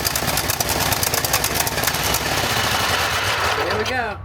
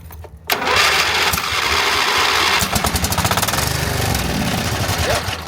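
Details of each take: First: Craftsman GT5000 riding mower, 22 HP Briggs & Stratton ELS 725 V-twin, after carburetor cleaning for a no-start: fast, sharp, even firing that settles; the earlier surging stopped by itself. Normal running. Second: Craftsman GT5000 riding mower, 22 HP Briggs & Stratton OHV V-twin with a no-start: on starting fluid sprayed in the intake it catches hard, runs seconds, stumbles and dies; owner is nearly certain the carburetor is clogged.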